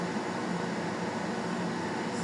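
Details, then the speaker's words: Zamdon 1 kW inverter: a loud, steady rushing whoosh from its large cooling fan once the fan activates, with no ticking or rubbing. It is noisy but normal. "Yan, ganyan kaingay mga lods. Kasi malaki yung fan niya. Pag mag-activate yung yung fan ng Zamdon."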